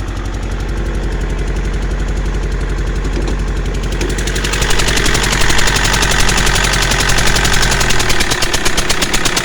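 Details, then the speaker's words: 2009 Mercedes C220 CDI diesel with No. 2 injector popped out (stripped stretch bolt, previously bodged, carbon black death): rough idle with rhythmic puffing chuff about three times a second over the clatter; injector compression leak, later repaired with a helicoil. "as you can hear it sounds like a puffing billy"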